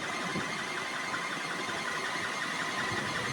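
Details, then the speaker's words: Liebert server-room HVAC unit blower running after maintenance was delayed by Covid: steady air rush with a thin chirping squeak from the blower belt slipping, due to bad pulleys or a loose belt, reducing airflow. "so now you can hear a little chirping sound from that belt a little squeaking sound but"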